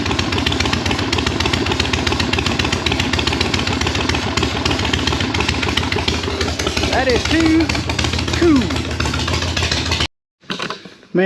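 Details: 1976 Harley-Davidson Ironhead V-twin with a Super E carburetor: it catches quickly and settles into an even, loping idle with steady beats; normal idle.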